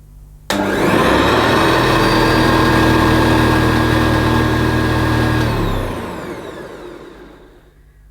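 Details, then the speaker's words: Hoover Senior C1300 commercial upright vacuum cleaner at first switch-on after agitator replacement, on the highest setting: motor snaps to a steady high whine with an even hum, then winds down cleanly; healthy, lovely-sounding motor. "sounds lovely, and I've got it on the highest setting, so I might leave it on the highest setting actually. That's got a lovely sounding motor."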